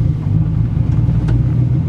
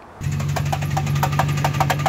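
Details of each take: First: 1996 Ford Mustang in neutral after replacing the throw-out bearing sleeve: low, even idle with the clutch pedal released, with no knocking or pedal shudder as there was before the repair. Normal idle, clutch release healthy. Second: 1996 Ford Mustang drift car: really loud sharp knocks about four times a second over a steady low hum, from the transmission not the engine; worn throw-out bearing sleeve and pivot stud, fixed by replacing them.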